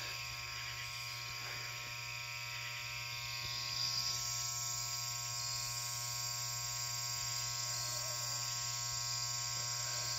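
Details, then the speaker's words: Loud, steady mains-pitch hum from the ballast of a 400 W high pressure sodium (HPS) Hubbell floodlight, owned about eight or nine months, running hot; unlike the owner's other fixtures, this ballast keeps humming after warming up. "you know this ballast is pretty noisy um most of my uh fixtures pretty much all of the fixtures once they warm up the noise goes away but this one really hums"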